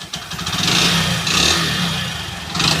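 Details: 2019 Hero Splendor Plus i3s motorcycle, engine had run with no oil and was refilled; quiet at low speed but each throttle opening swells into a harsh, rattly roar, with smoke at the back; cause unclear.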